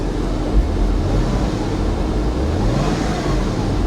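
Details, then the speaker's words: Wrecked manual Porsche Boxster flat-six at auction, hail and right-side damage listed: deep, steady low rumble with even beat, no knocks or ticks; normal, healthy idle. "it sounds healthy"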